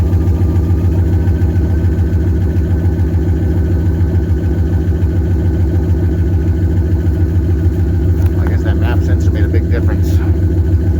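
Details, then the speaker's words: 1998 Jeep Grand Cherokee 5.9 Limited V8, cold start after sitting about 5 years, burning oil, many vacuum leaks, missing sensor: steady idle with even light clacking at the back, owner suspects lifters, not confirmed; engine ticking. "I don't know if I got lifters clacking. That's what that's doing out the back there. Maybe she didn't like that. Yeah, it's pretty bad."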